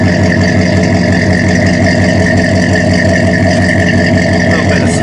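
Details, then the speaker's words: Rebuilt Mopar 360 small block in a Dodge Ram 2500, running after the firing order and vacuum leaks were corrected: even idle with a thin high squeak over it from a slipping accessory drive belt. "go ahead and fire it up you run pretty good oh yeah little squeaky belt no big deal"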